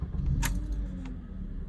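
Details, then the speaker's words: 2009 Honda Accord 4-cylinder with P0300/P0302/P0303 misfires after an aftermarket starter; after clearing codes and the CKP relearn: steady even idle, misfires on cylinders 2 and 3 gone, check engine light off. "and there you go. No misfires. Cylinder 2, cylinder 3, misfires are gone."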